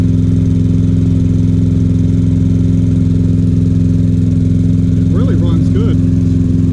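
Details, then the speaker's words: Troy Bilt XP 21" walk-behind mower, cold start before service: steady even idle with firm low thump while smoking badly, improving as it warms; clogged air filter and dirty, possibly thin oil found, cleaning and oil change improved cold start. "This is a cold start from yesterday, and that's when it really smoked, when it was cold."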